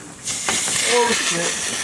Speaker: yeah okay there definitely some pressure in that yeah I'm not turning the key for a while look at all the fuel everywhere